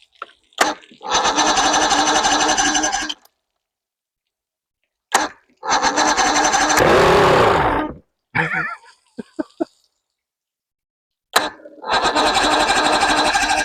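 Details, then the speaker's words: 1993 Evinrude 115hp outboard, unknown history, after primer bulb squeezes: repeated cranking bursts with only brief firing that dies each time; won't keep running, runs only on the fuel primer solenoid; owner suspects dirty carburetors. "I don't think she's gonna run. She only runs off the fuel primer, the solenoid."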